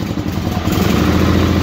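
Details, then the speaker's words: 1968 Hydro Trac 12 or 1974 SS16 garden tractor twin-cylinder engine, cold start on choke: uneven, lumpy running that stumbles and sags, wanting to stall until it richens up and warms; cause unconfirmed. "but this is a cold cold start yeah let her get wet and then she's fighting she wants to shut off"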